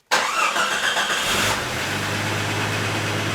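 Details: Jeep 4.0 L, first start after a tune-up with new fuel pump, fuel filter, distributor cap, rotor, spark plugs and wires, and the pump primed first: a brief crank that catches at once and settles into a steady, even idle with no misfire or knock. Normal start and idle.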